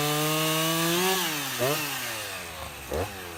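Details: Husqvarna 353 chainsaw restored from a basket case (gas line, chain drive, carburetor tuned), cutting wood: strong two-stroke howl drops in pitch as the chain bites and recovers between cuts; pulls cleanly and healthy, chain grabby, needs readjusting or sharpening.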